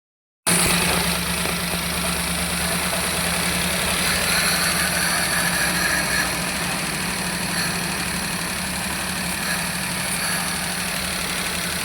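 Small petrol engine idling with a slightly uneven, lumpy beat and no clean rhythm; sounds like a misfire at idle.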